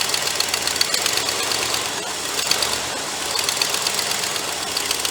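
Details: Cobbled-together Ford 390 V8 in project car, electric choke suspected not engaging: lumpy unsteady idle with hissing edge and stumbling beat from a massive vacuum leak at the back of the carburetor, with heavy visible blow-by.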